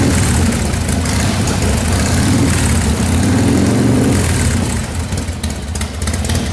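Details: 1995 Harley-Davidson Wide Glide Evo 80 CID V-twin after a rebuild with Total Seal gapless piston rings: a deep, loping warm-up idle with light throttle blips that runs clean and responsive. It sounds and responds better than before. Normal idle.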